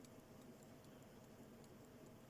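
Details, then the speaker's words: Soviet Slava dual-mainspring mechanical watch, working and wound up: faint, quick, even ticks about five a second over room hiss, running steadily; normal ticking. "You probably can just hear it ticking away. Yeah, it's been ticking away since I give it a wind."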